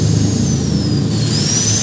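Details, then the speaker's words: RYU RSG 100-3 hand angle grinder running with no load after replacing its worn head bearings that made it vibrate and wobble: steady high motor whine and even hum, not noisy, shaft no longer wobbles. "oke suaranya tidak Berisik dan si as ini tidak goyang seperti yang sebelumnya"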